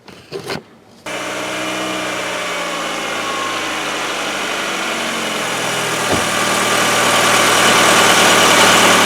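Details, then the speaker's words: Hyundai Getz, fully cold start after a day in the garage, old oil: engine settles to idle with a fast, even light hydraulic lifter ticking that lasts about a minute, longer in winter, then stops before full warm-up. "Вот он наш стук. Зимой, конечно, он по времени подольше стучит, пока прогревается. В холодном автомобиле, в холодном моторе звук присутствует."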